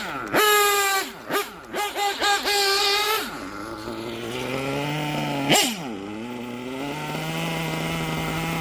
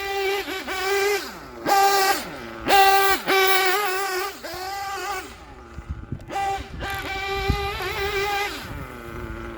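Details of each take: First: Gimar P5 nitro engine in a Hyper 7 buggy, after the top end was leaned: coming to a stop after blips, the idle won't settle and keeps rising. The low-speed bottom-end mixture is going lean. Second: Gimar P5 (Novarossi P5XLT) nitro engine in a Hyper 7 buggy, after break-in, being leaned in eighth-turns, still rich with smoke trail: crisp high-pitched revs snapping up and back with no sputter or gurgle, clean healthy running and idle.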